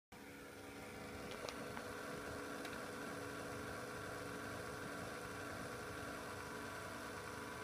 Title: corsair CX600M Psu Rattling Noise